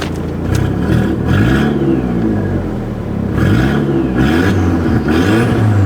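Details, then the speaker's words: Rebuilt crash-damaged Audi TT, no exhaust fitted, new induction kit, shortly after cold start: three quick rev blips with loud breathy induction-kit intake roar, pulling cleanly; normal revving. "Oh, can you hear that induction kit?"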